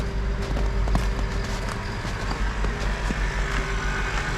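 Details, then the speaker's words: 2003 Mercedes S500 AMG that had been sitting too low: steady low electric pump drone runs continuously under street noise as the air suspension compressor raises the car. Normal air suspension compressor operation. "I'm gonna pull over and watch it go up I can feel it going up great car come over here you can hear the pump"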